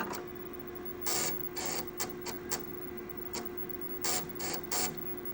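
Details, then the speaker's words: 1984 Panasonic Sr. Partner (RL-H7000WA) drive A booting MS-DOS after a reinserted disk: steady motor hum under quick bursts of head clicks and seeks, reading cleanly and quickly to a prompt; normal floppy drive read. "We're in. Holy damn. And it read quite quickly to be honest."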